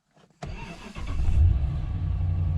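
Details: 2012 Ram 1500 Hemi V8 after key fob programming with the fuel pump bypass plugged back in and security light out; brief crank, then it catches cleanly and settles into a steady, deep, even idle.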